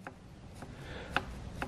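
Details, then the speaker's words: VW Golf Mk5 GTI turbo, engine stripped: hand-turned turbine wheel gives light hollow knocks, moving only about three-quarters of a centimetre before hitting a hard stop both ways, with some shaft play; turbo faulty. "that's me only able to turn the uh turbine about three quarters of a centimeter before it gets to a hard stop both sides and obviously it should not do that"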